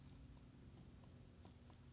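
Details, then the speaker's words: 1958 Mercedes 190SL steering gear box on bench during teardown, sector shaft rocked by hand: faint irregular dull clunks about every half second; worn sector shaft bushings, journals to be measured, possibly ground, and new bushings fitted. "maybe you can hear it maybe you can hear that yep worn out"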